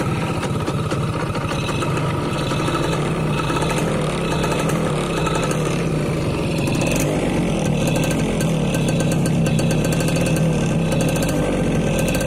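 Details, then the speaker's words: 2002 F1ZR Caltex Special Edition (H2K), a 20-year-old two-stroke with original carb and CDI and a stock, unmodified exhaust: crisp, even idle with a steady fast putter and no knocks or misses. Normal, healthy two-stroke idle. "Jadi suaranya masih garing banget, enak lah didengar. Padahal knalpotnya standar ya, nggak dibobok dan sebagainya, bukan knalpot racing, tapi udah enak banget."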